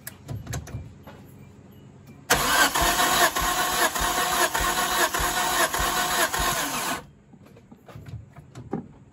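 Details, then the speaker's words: Turbo Hyundai daily after a loud pop at the track, compression test on cylinder 3 with plugs out: quick even cranking about five seconds; reading slightly better, still close to others. "That one's a little bit better than that one. We're still only, I say it's about in between, so it's only, still within each other. That's still not bad."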